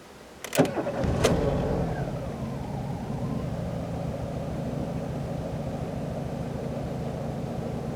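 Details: 1999 Renault Clio 1.6 16V petrol, after replacing the faulty low-pressure fuel pump that caused a no-start: the engine cranks briefly, catches within a second and settles into a steady, even idle.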